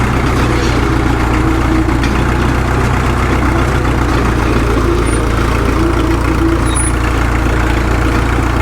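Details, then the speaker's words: Caterpillar D2 #5J1113 diesel crawler after swapping in a different injector: low, even chug with no pops or misses; the intermittent pop is gone and it idles cleanly and steadily. "I'm not getting that pop anymore. I think this sounds better now than it has since it's ran. I like it."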